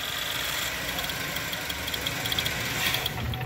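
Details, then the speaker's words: 2016 Chevrolet Equinox, 124k, setting P0172 rich code, new MAF, O2 and fuel rail pressure sensors: rough, uneven run-on with ticks and pops after key-off; high-pressure fuel pump leaking fuel into crankcase, drawn into intake via PCV. "so we apparently have fuel that is leaking from the high-pressure pump getting atomized or vaporized into the crankcase which is getting sucked into the intake by the PCV system"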